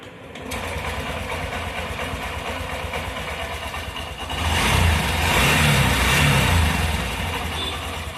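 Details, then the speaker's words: Honda Shine motorcycle with complaint of engine noise after 20–25 km of riding; after reassembly the engine starts quickly and idles smoothly with a light throttle blip, no tick or rattle. "Okay இப்பதைக்கு noise எதுவுமே வரல. பக்காவாதான் இருக்கு."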